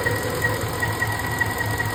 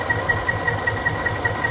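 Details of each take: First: 5.4 3V engine idles lumpy and uneven with irregular stumbles, like one cylinder misfiring. While hunting the cause, the cylinder 7 injector was unplugged and rotated slightly, and the owner thinks it now works. Cause not confirmed. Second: Ford 5.4 3V V8 at idle while chasing a misfire, after the cylinder 7 injector was unplugged, rotated slightly and reconnected (owner thinks it now works): even idle, soft regular pulse about five per second, faint steady high tick, no stumble or skipped beat.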